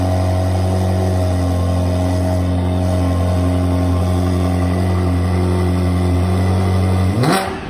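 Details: Ferrari 360 V8 first start after full engine rebuild, oil pressure pre-built by cranking with fuel pump relays disconnected; steady, even idle with smooth low hum ending in a quick throttle blip, sounds healthy.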